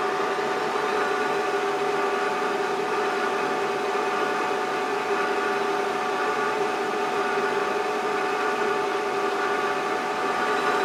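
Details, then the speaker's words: Creworks 8x16 mini metal lathe, cover off, after lubricating the gear train: steady, even mechanical hum with constant mid-pitched tone, no clatter or grinding; much quieter than before, normal running. "we go you can already tell this thing is much quieter [Applause] with some actual lubrication on those [Music] gears"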